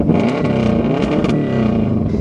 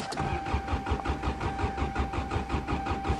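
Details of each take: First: Subaru in deep snow, last run at the wood-cutting session, winter cold start: turns over and catches at once, then holds a steady, even drone with a slight rev; started easily, clean cold start. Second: Subaru winter cold start; starter churns steadily at about five beats a second with a chime behind, never firing, fuel pump not heard: cranks but won't start. Owner suspects mice chewed the wires.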